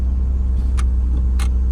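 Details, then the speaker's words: 2008 Chrysler Pacifica that starts but won't shift out of park, brake pressed at idle: two short crisp clicks over steady idle from the shift interlock release solenoid working normally; fault is a broken shifter, not the transmission. "and down there I can hear the solenoid that actuates the release for my shifter."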